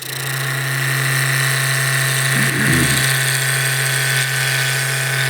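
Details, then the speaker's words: Lathe turning a maple torpedo baseball bat blank at about 1800–2000 rpm while roughing with a spindle gouge: a steady hum with a brief rattling buzz; chatter vibration of the long blank, reduced by pulling into it with the support hand. "If you're getting that vibration, just slightly pull into the blank a little bit with your support hand."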